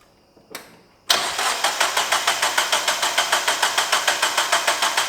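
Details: 2001 Mazda Miata after timing belt replacement, compression about 126–155: even starter cranking with steady compression pulses but the engine never catches; crank, no start. Owner suspects a pulley installed wrong; cause not confirmed.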